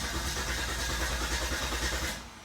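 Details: 2000 Volvo S70 with a bypass jumper on the fuel pump relay (terminals 15 and 87) and the fuel pump audibly running: the starter cranks in quick even pulses for about two seconds but it never fires; cranks with no start, cause suspected, not confirmed.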